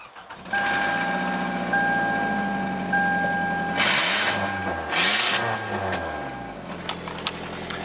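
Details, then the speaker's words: 2009 Toyota Camry four-cylinder that barely ran and stalled on throttle, restarted to test for exhaust back pressure: it catches quickly, revs cleanly and idles steadily, confirming a clogged catalytic converter that needs replacing. "It runs fine. You can you can actually drive the car now."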